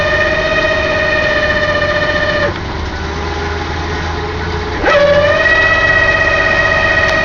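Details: 1995 Ford Explorer 4WD, transmission rebuilt two years ago, recently wouldn't shift into 3rd without lifting off gas; loud steady whine stopped in reverse or drive, gone by 5–8 mph, no check engine light; transmission or torque converter suspected.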